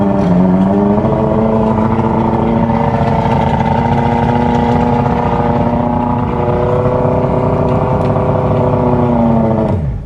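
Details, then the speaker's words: Johnson 115 hp outboard on bass boat, running with choke: strong steady idle, slight rev swings, nothing odd; impeller barely pumping water, forward and reverse gears work. "the impeller is just barely working but forward gear works backwards works"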